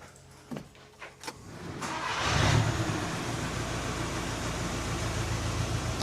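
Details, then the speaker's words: Normal start of a VW Caddy van with the 1.9 TDI diesel and DSG gearbox, bought because it puffed blue smoke. The turbo was replaced last episode and smoke was nearly gone after 10 minutes of idling. Slow clicks, then it catches first turn into an even, steady idle. "So we're going to do a first start up now, and I'm going to do two footage, a comparison of when we first got it and how bad it was when it smoked when we first start."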